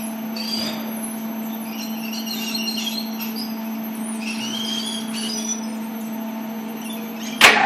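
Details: LEO elevator drive unit: a constant low hum with thin high squeals coming and going on top. Abnormal squeal from the drive unit.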